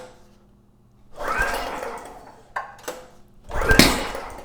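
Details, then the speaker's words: Generac GP series generator, leak-down minimal, failing to start on recoil pulls with choke slightly open: sharp pop back out the intake; owner suspects a varnished intake valve, timing less likely since it initially ran. "Yeah, just popped out the intake. It's kind of surprising actually cuz the leak down is minimal."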